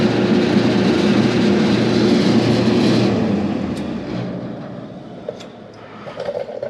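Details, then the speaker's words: Free salvaged kerosene torpedo shop heater, fan test powered via thermostat before ignition attempt: steady whirring hum spinning freely, then winding down smoothly; blower fan turning normally and moving a lot of air. "I guess let's turn this thermostat and see if it starts moving. Oh, yeah, rolling. It's actually moving a lot."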